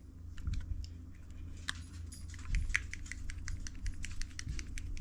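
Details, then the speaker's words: Refrigerator start relay removed during starter relay and power load replacement, shaken by hand: a loose part rattles inside in quick uneven clicks, meaning the relay is bad internally. "there we go it's giving a it's giving a sound that means it's bad"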